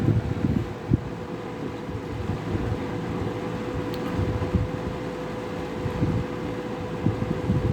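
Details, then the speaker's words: 1983–84 Sears 453-812100 20-inch deluxe fan with thermostat, made by Lasko, on medium speed: steady even airflow rush with a faint constant motor whine and no rubbing or ticking, so it runs normally. "And it runs pretty nice. Medium's actually pretty tame on this."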